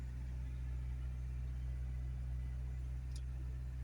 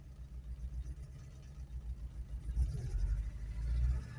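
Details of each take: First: Car started after sitting 7 months with its battery on a maintainer: runs a little rough at first, then settles into a low, steady idle hum with no misses, stumbles or surging. It has smoothed out. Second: Petrol car started after 7 months stored with battery on a minder: idle lumpy with uneven surges and dips, running rough, then smoothing out.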